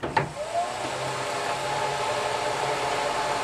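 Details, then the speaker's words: Ventline Model PH-2 range hood fan, slightly rusted, from a 1977 Sunline Sportster Deluxe 11FKS camper being restored, first power-up: steady even whir, clear mid-pitched hum, no rattle or scraping; fan runs normally. "Oh, it's the fan. And it works. Check that out."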